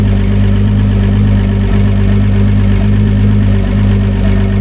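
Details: Newly fitted repower outboard, replacing an old 250HO Etec, idling at 500 revs, 14.3 volts, on XD100 oil: a steady, even low rumble with no knocks or misses; a clean, healthy warm-up idle.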